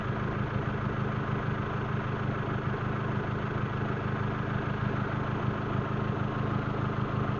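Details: Proton Waja MMC automatic after engine overhaul, ECU flash and K20 coil-on-plug, idling with aircon on around 1200 rpm: steady fast idle without hunting; idle timing setting was off, fixed by reset/idle relearn.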